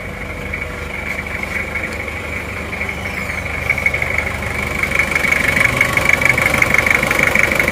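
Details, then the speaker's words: Toyota Kijang diesel in good condition, idling: even light regular clatter, no knocks or shake, healthy; judged smoother-sounding than the Panther and nearly vibration-free. "Terus dari mesinnya ya, dari mesinnya itu antara Kijang diesel dan Panther itu masih lebih halusan Kijang diesel ya suaranya. Ini kita coba ya. Ini Kijang diesel akan kita coba."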